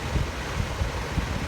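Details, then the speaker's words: Toyota Camry with new replacement AC blower motor, bench-tested plugged in, car on, running at low then medium: soft steady rush of air, no rattle, scrape or wobble; starts on its own without nudging; runs smoothly. "But no sound, no wobbling, and most importantly, I didn't have to nudge it for it to start."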